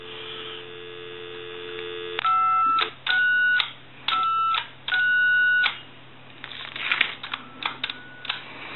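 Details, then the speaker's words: Original Mickey Mouse telephone: dial tone, then steady key-tone bursts with occasional off warbles on keys 5 and 6. The keypad isn't producing the proper DTMF tone frequencies, so it needs keypad repair. "you'll hear the funny sound coming from the five and the six once in a while foreign so it's not creating the frequency"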